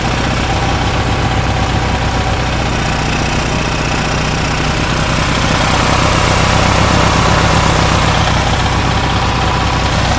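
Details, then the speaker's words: Onan generator started after sitting 4-6 months: steady, even twin-cylinder chug at constant speed with no misses or knocks; running smoothly. "there unhook the the fuel pump first and then I'll shut it off but H is running pretty good"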